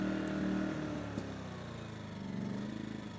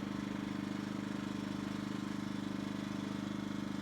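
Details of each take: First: Yamaha EF2000iS inverter generator surging at idle, note repeatedly sagging and climbing back, worse in Power Save mode; likely caused by a clogged carburetor pilot jet, to be cleared with a sewing needle. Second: Yamaha EF2000iS inverter generator after cleaning the carburetor pilot jet, choke fully in, economy mode: smooth, even idle with no surging for about four seconds, then shut off; surging fixed.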